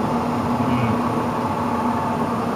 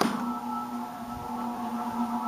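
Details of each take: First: Furnace blower on a new N4H3 heat pump install, moments after a healthy start: a rough hum with a whirring tone as it drops from high toward medium-low on its own. It is a very bad blower. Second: Furnace blower on a newly installed N4H3 heat pump system, just switched on at startup: an even motor hum with smooth air rush and no scraping or ticking. It sounds healthy so far.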